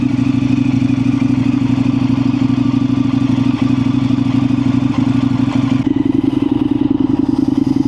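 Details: Indian FTR 1200 twin motorcycle just jump-started from a dead battery with NOCO booster: strong, steady low thumping idle, even and unbroken; normal idle.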